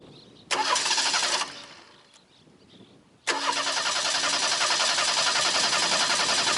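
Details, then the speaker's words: 1989 Ford Mustang 2.3 L inline-4, first start after about 9 years stored, ignition reconnected: brief cranking then catches and runs rough and choppy; owner suspects sticky fuel injectors. "firing it's probably got really sticky injectors floor Well it can't be flooded"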